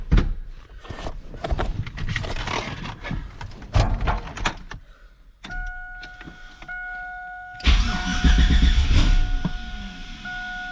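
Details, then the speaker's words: LS-swapped Chevy S10 Xtreme V8 while moving down a lane: it fires up, then lopes and stumbles unevenly with a weird noise. The owner wondered about an exhaust leak; cause not pinned down. "oh it's moving yeah it runs awful do you hear that not sure why it does that"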